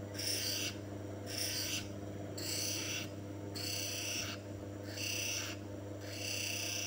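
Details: Manual lens faceting (bevel) machine grinding stone: low steady motor hum under a rasping scrape in even passes about once a second, shaping a V-bevel on a rough-cut lens to fit the frame; normal bevel grinding.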